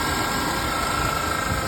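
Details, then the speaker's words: 1993 Ford Ranger 2.3 L, running, heard at the engine bay: constant high-pitched squeal from the accessory belt area that never breaks up; worn idler (tensioner) pulley bearing, to be replaced. "aquí la tengo arrancando vamos a ir hacia afuera donde está el motor voy a checarlo podemos ver que se oye como un chillido"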